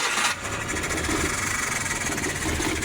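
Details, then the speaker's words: Suzuki F6A 12-valve engine hard to start, uneven stumbling lumpy idle that won't improve on throttle and then stalls. "umaandar na siya ay nakikita talaga natin na lumalala na yung sakit niya at kahit apakan natin ng too ay wala pa ring magandang resulta"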